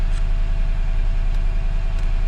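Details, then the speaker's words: Totaled 2006 Mercedes-Benz E500 4matic V8 wagon with heavy front-end damage, coolant low, gas smell noted: steady, even low rumble with regular firing beat and no knocks or misses; healthy idle. "all right guys see it's running pretty good no knocks or anything"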